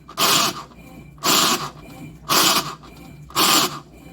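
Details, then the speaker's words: Consul Facilite washing machine, agitation stage, noise comes and goes, simulated by pulling gears; four harsh rasping bursts about one per second, each under half a second; actuator replaced as the fix: agitation noise from faulty actuator. "Ela está fazendo esse devido barulho aí, ó. Tem hora que faz, tem hora que não faz."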